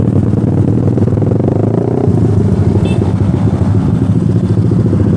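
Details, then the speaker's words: Stock Suzuki Satria Fi150 injection with racing exhaust (RS150 header, 25 cm GP5 K1 silencer, full packing) riding slowly, clutch not slipped: loud, rough, popping uneven exhaust even in second gear. Low-rpm stutter (brebet) from the racing exhaust. "gua gak mainin kopling bbet banget susah digas harus gua fullin tapi di gigi dua pun masih hancurlah ini masih berbet lah"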